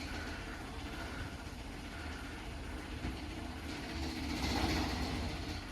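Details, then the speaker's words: Newly installed Linear LDCO801 chain-drive garage door opener, run without the door attached: quiet, even chain rattle and hum, steady through the travel with no grinding or clunks; normal chain-drive operation. "that's just the chain rattle extremely quiet operator i've had much more luck with these than i have lift masters"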